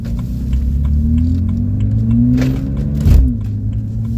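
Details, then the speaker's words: High-mileage BMW 335i, heard inside the cabin, clogged catalytic converters cut off: deep, loud exhaust drone swelling and falling with the revs, far rawer than stock; loud exhaust from removed catalytic converters. "Beamer as you guys can hear I don't know if if it comes out on video but the car has no cats um the cats that was on the car was clogged so I just decided to like I don't know when I went to the uh the exhaust shop I just told them to cut it off"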